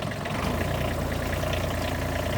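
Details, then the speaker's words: Mini excavator diesel after a cold-weather jump start (bad starter solenoid/key switch), smoking a little: steady, even low idle rumble with no knocks or misses while warming up; normal cold diesel idle. "as you would have it this is how diesels are in the cold weather rolling a little coal"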